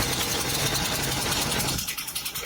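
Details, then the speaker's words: Chainsaw that was flooded with gasoline from an incorrect start, now restarted with the slider in the proper position: two-stroke buzzes steadily, then drops to a clean, regular idle pulse without sputtering. Running properly. "chainsaw there was an overflow of gasoline due to the fact that it was started incorrectly and as we see the chainsaw works perfectly."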